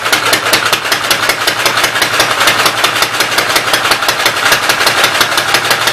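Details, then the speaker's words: Rapid, even clatter about six ticks a second over a steady idle on the Westchester engine, valve cover off, oil spraying; oil going up from the crankcase, noisy valve gear, top end needs rebuilding. "All the oil's hanging out in the crankcase and going up around it. So top end's gonna need rebuilt."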